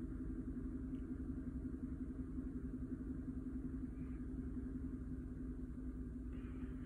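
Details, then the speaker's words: 2013 GMC Sierra 5.3 flex-fuel V8 (P0172/P0175, running rich, hard cold start): ECM read 53% alcohol against under 10% actual. After correcting it, alcohol reads 3% and trims are at zero. Cold start, steady even idle, no misses; normal cold idle. "keep in mind this vehicle is still very cold well I guess it started warm up"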